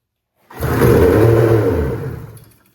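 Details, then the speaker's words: 1995 Polaris RXL 650 triple snowmobile, sat about 8 years and previously locked up, given starting fluid: silence, then a roaring burst of about two seconds that fades out. Fires briefly but won't keep running; fuel system needs work. "Sweet. That's a good sign. Now that means I get to tear into the fuel system. That's gonna be fun. But it popped off for the first time since 2018."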